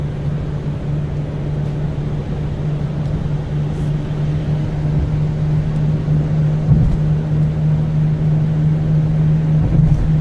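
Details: Subaru Outback at 65 mph on wet, snowy roads, on original struts: a steady, low, even-pitched buzzing drone under road noise. The source is unknown.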